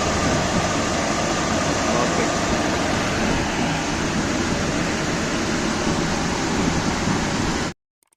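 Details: Carrier package unit blower after blower shaft lathe repair and new 206 bearing and 1750SPZ belt: steady even air rush with no knocking, squealing or grinding, spinning smoothly until shut off.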